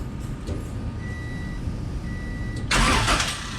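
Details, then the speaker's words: High-compression Honda D16Z6 build with a built head, just after valve lash adjustment, first start before warm-up: low, even idle with no valve ticking, then a short rev burst. It sounds much smoother than before. "thankfully that sounds a lot better that sounds much smoother sounds pretty good"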